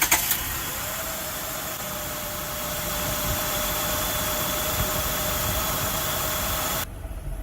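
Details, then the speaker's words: 2000 Acura TL whose idle jumped between 1,500 and 3,000 rpm after a few minutes, started after cleaning the throttle body; fairly even idle with faint whine, speed creeping up, partly improved but not fully fixed; unsteady idle. "you can see now the idol is that one so it looks like it kind of fixed it a little bit but we will keep you updated"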